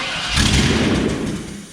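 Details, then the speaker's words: 350 V8 newly installed in a C10 truck: fires on starting fluid with a sudden roar for about a second, then dies; no fuel pressure yet. "Now we just gotta get some fuel pressure. You could probably run it for a second if you sprayed that."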